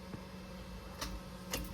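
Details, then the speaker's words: Car that won't start: only a few faint single clicks with no cranking. The radiator fan runs immediately and the TCS traction control light stays on. Cause suspected, not confirmed. "start tayo start ako paps pap [Musika] ayaw click lang"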